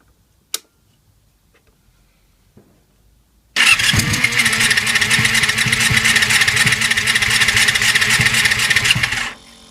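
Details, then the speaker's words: 1999 Yamaha YZF-R6 (5EB) cranking with a coil and plug grounded to the chassis; steady crackle of sharp ticks about four a second, a healthy spark, while cylinder 4 misfires above 4,500 rpm and carbs are suspected. "so now I'm going to go ahead and uh Crank It Up see if we get any Spock okay as you can see we've got spark"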